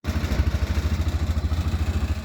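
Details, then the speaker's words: Massimo T-Boss 550 UTV at idle: heavy buzzing throb with loose bed sides and middle bed panel rattling in time with engine pulses, varying by rpm; heat shield removal planned. "you guys hear all that rattling some of it's the bedsides but other RPMs I think the whole middle of the bed rattles like that"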